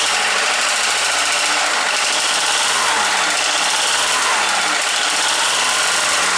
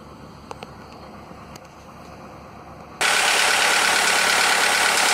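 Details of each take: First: Skoda, probably Fabia, with 1.4 16V petrol engine at idle: hard, rapid metallic knocking from piston slap in worn cylinders, before teardown and piston replacement. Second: Skoda (probably Fabia) with VW 1.4 16V petrol engine after swapping in used pistons to cure piston slap: a quiet start, then a loud, steady, even idle with no tapping; the knock, once present cold and warm and worse warm, is gone.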